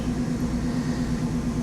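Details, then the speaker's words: 1995 Mercedes R129 SL500 V8, 84,000 miles, just after lower engine wiring harness and motor mount replacement, cold: even quick idle pulsing, no misses or knocks; good oil pressure, no warning lights. "Don't have any warning lights on. Started right up. Sounds great. This car's only got 84,000 miles on it."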